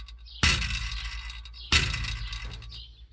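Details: 2002 Chevy Avalanche 5.3L: the knock is the left catalytic converter rattling internally, two sharp metallic clinks like loose glassy pieces over low engine hum; not an engine or flex plate fault.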